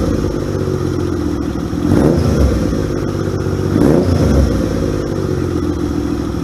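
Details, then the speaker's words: 1978 Yamaha XS750 Special twin revived after 3 weeks of work, choke on: runs strong and even, picking up cleanly on two throttle blips and settling with no misfire or popping. "I fucking love old motorcycles. They are so badass, especially when they wake up."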